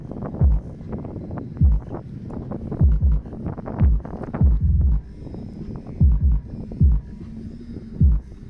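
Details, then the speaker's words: Heavy bass bursts with a loose buzzy flutter on each hit, trunk shut and volume up: one Earthquake Slaps M12 passive radiator rattling in a sealed 3 cu ft box with two Power Acoustik GW124 subs in a 2018 Chevy Impala; it can't handle the power. "I'mma give it a rest because I know the PR is not is not taking it. It's too much power for the PR."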